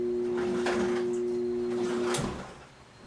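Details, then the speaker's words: Samsung dryer, after days of squeaking like a wheel, stopped working. Its motor now gives a steady low buzz but cannot start, cutting off after about two seconds, though the drum moves freely by hand. "nothing happened when I first started up the motor seems to buzz sleeping committed to start it's buzzing"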